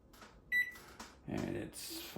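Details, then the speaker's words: Samsung over-the-range microwave whose buttons had stopped working, tested after fitting a new button panel with control board, before the top trim goes on and while setting the clock: a crisp single beep on a key press shows the keypad now responds normally. "As you know, the buttons are working, so I know this unit's gonna work."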